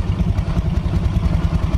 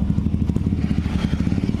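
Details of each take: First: Yamaha Mio Soul scooter, rear wheel turning with CVT cover work: low even smooth throb, no grinding; earlier noise traced to crushed rear pulley area and wrong-part belt. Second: Yamaha Mio Soul automatic scooter idling with a loud, rapid, harsh clatter from the CVT housing and not moving at all; the CVT was suspected, and the V-belt turned out to have snapped.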